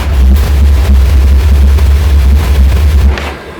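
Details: Mazzoni pressure washer hot-water boiler firing after trigger pull: fan motor and spark transformer already running, fuel introduced immediately; deep steady roar comes in at once, holds evenly, then cuts off; normal burner ignition.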